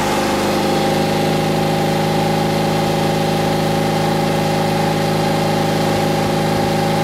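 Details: Porsche 356C air-cooled engine after fitting spark plug wires and coil wire, revved to about 3000 rpm for a timing-light check reading a tad past 32 degrees advance: steady, even raised-rpm drone with no misses or knocks, healthy.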